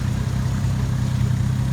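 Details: Toyota JZX110 stock 1JZ with HY35 Holset top-mount turbo, j-pipe delete, just started after the build, coolant not yet bled: deep, even idle pulsing with a steady beat, nothing ticking or grinding; idling cleanly.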